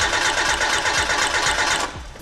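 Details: Hyundai no-start, spark confirmed with test light on coil: steady starter churn with even compression pulses for about two seconds, never catches; diagnosis moving to fuel side, fuel pump then checked with amp clamp.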